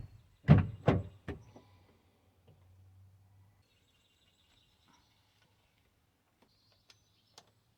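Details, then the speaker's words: Toyota Sienna door check stop after welding repair; three firm door thuds over a low idle hum with no popping, clicking or grinding, door closing fine all the way out and in. "the door is closing very good all the way out and all the way in and no problem i welded it worked okay"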